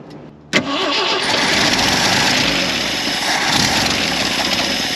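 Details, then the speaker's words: 1973 Jeep CJ5, sat 16 years: it cranks, catches, then runs loud and ragged with an uneven, stumbling beat instead of steady idle; something major wrong with the carburetor. "Clearly we're getting into whatever issue they had going on. Maybe we just need another carburetor."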